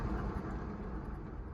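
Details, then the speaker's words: Front wheel spun by hand, after the other side showing only slight brake drag: a deep, rough rumble from a worn wheel bearing that gets very loud above 40 and louder with speed while driving. "That's the sound you'll hear as you're going down the freeway, and it gets louder with speed. This car, anything over 40, it gets very, very loud."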